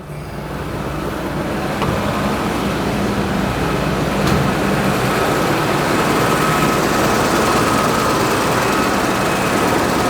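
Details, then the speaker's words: 1991 Toyota Land Cruiser 3FE, after valve adjustment, new intake boot and alternator tightened: steady, even idle with smooth low drone, no top-end tapping; valvetrain quiet and healthy, no longer rattling. "hopefully now now it's going to be nice and quiet not the Rattle Trap it was when we started let's see what we get nope sounds good from here"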